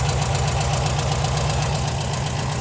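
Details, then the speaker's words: Warm air-cooled VW Type 4 engine, even steady low idle with smooth rumble and no top-end ticking; healthy idle, though owner later suspects a dirty carburetor idle jet causing lean sputtering. "वह बिल्कुल ठीक चल रही है वह सुस्ती से चल रही है बहुत अच्छी है कोई क्लिकिटी क्लैक नहीं है वह वास्तव में अच्छा लगता है"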